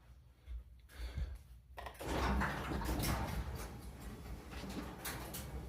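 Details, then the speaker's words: Garage door after swapping metal rollers for nylon ones, door otherwise fairly quiet but two hard metallic clanks mid-travel; owner thinks the lift cable came unraveled and rode off its drum grooves (one groove per cable wrap). "yeah that's not good that's not good I think what the clanging it has to do with when this came unraveled came off each Groove"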